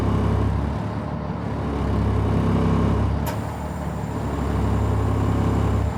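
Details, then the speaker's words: 2003 Stewart & Stevenson M1078 diesel truck just after cold start: deep idle rises and settles as the idle adjusts itself, with a sharp air hiss from the pop-off valve as the tire inflation system fills; normal cold idle. "You can hear the idle adjusting itself somewhat here."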